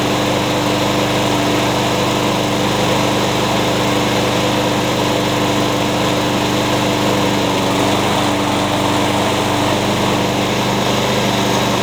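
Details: Curb-found mower, blade-brake kill switch zip-tied, started with carb cleaner; steady high-pitched single-cylinder buzz at constant speed, no surging or misfire, sounds pretty good; normal running.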